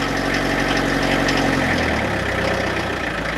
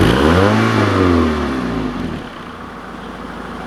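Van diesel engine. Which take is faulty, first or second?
first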